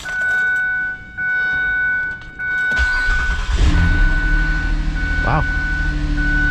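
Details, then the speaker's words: Saturn Vue Redline 3.6L after replacing the bad starter, which had only clicked, with a new aftermarket starter: a brisk, even crank under a second, then the engine catches and settles into a steady idle; it cranks faster than the old starter. "they actually cranked over faster than the old one"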